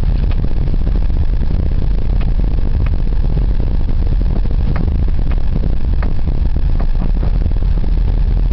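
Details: Daewoo Lanos while driving: dull, irregular knocks come through over steady road rumble, pointing to a knock somewhere in the suspension.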